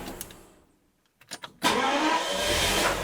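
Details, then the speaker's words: Daimler Double Six (Jaguar XJ12) V12 that arrived with a no-start and no charging, on a repeated restart test after the repair: a brief starter crank, then it catches immediately and idles smoothly, showing normal cranking and start. "Four. That is perfect. I think we fixed the issue."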